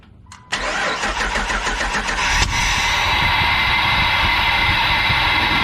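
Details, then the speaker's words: 2003 Jeep Wrangler 4.0L, first start after fuel injector replacement. It cranks briefly, catches cleanly and settles into a smooth, even idle with no misfire or stumble. The engine seems to be hitting on all cylinders. "seems to be hitting on all"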